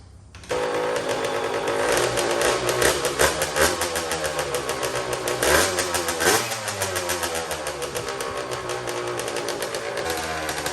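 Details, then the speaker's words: Custom Honda TRX90 with CR85 two-stroke engine, first start after rebuild with T2 oil: sharp start, crisp even idle and clean throttle blips; sounds good, though the carburetor clamp is loose and needs replacing. "She sounds good."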